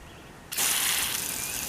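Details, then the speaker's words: Brand-new Chapin 362D hose-end sprayer, water only, failing within 10 minutes. At setting ten it's quiet, then a sudden sharp spraying hiss as water squirts out, with no suction up the tube. Owner suspects the vacuum breaker; shaking it restores normal function. "echo squirting out of number ten so I have no idea why that's going on and when that does happen there's no suction up the tube here"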